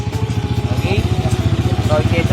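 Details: TMX 155 motorcycle idling steadily at about twelve even firing pulses a second, faint voices behind; running normally after it kept dying, traced to the ignition/kill switch wiring, no CDI or stator needed.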